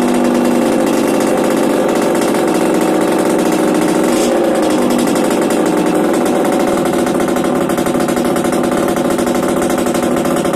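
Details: Yamaha DTR 125 two-stroke, first start after fitting unrestricted Gilera SC CDI, Big One exhaust, 240 main jet, powervalve fully open: rapid buzz at steady high pitch with brief dips and pickups, firing cleanly, no misses or knocks; healthy.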